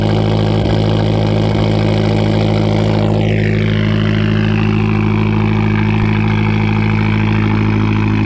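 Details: 2012 Fiat Abarth at idle: low, lumpy idle with a regular stumble roughly three times a second that never smooths out; a persistent misfire at idle. Cause suspected, not confirmed.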